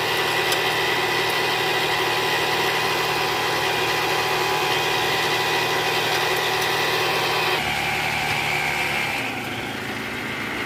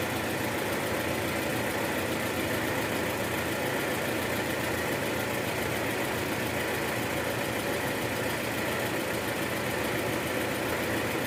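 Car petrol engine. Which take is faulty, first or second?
first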